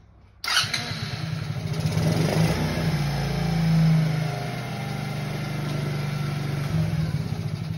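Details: 50cc Kazuma Meerkat Chinese quad after a complete rebuild (new carb, fuel tank, lines, filter, chain, electrical) on its test drive. The small single revs up crisply and settles into a steady even buzz with no knocks or rattles; it runs healthy.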